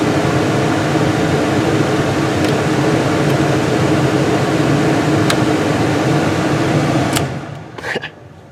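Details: 1999 Dodge Durango blower motor, replaced by another shop along with resistor, HVAC switch and ignition switch; suspected shorted motor: strong steady rush of air with even motor hum, no squeal or rattle, then shuts off; blower runs normally.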